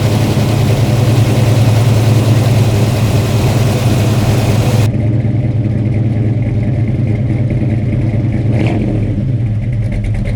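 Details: Freshly installed 450 hp Blueprint crate V8 with a carburetor, first start: loud idle with a slight rhythmic chop from the cam, otherwise steady and even; healthy.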